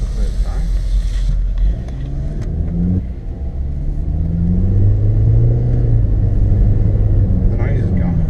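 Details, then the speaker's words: Mitsubishi Airtrek Turbo, remapped (believed over 300 bhp), first test drive after fitting cheap eBay coilovers; steady engine drone rising with speed, no clunks or knocks, earlier suspension noise gone. Normal suspension. "the noise is definitely gone yeah so feels nice i think it feels right doesn't it"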